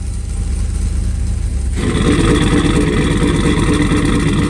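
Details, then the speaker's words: Turbocharged sleeper build after reconnecting the spark plug wires that had been left off, no O2 sensors fitted: the engine catches and revs strongly and evenly on all cylinders with no misfire; the turbo is barely audible. It runs properly. "I was wondering why you didn't really hear the turbo much and maybe that's just how it's going to be but there it is oh it's so"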